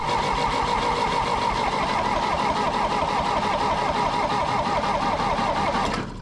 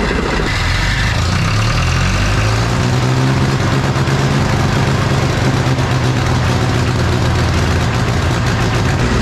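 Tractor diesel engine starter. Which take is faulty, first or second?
first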